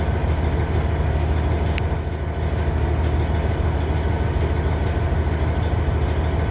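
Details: 2006 Cummins ISX CM870 diesel: a deep idle with an uneven, lumpy beat of about one pulse per second instead of a smooth run. Rough idle.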